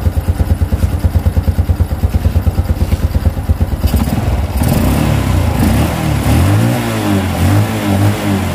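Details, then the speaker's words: Honda Revo Absolute after cam chain (timing chain) replacement for rough rattling noise: even idle then clean rev rise, no rattle or ticking from the top end; smooth healthy engine. "langsung saja kita hidupkan [Musik] boleh ya sudah halus nah ini ntar ya"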